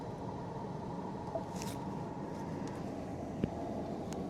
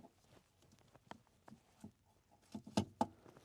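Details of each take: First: 2015 Ford Explorer after replacing the HVAC mode door actuator (no air to floor, clicking behind dash): steady, even low blower rush with a couple of light clicks, no whine or rattle; normal blower airflow. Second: 2015 Ford Explorer, old broken HVAC mode door actuator behind the dash, air not going to the floor: quiet, uneven clicks and taps as the actuator slips while working; clicking mode door actuator, about to be replaced.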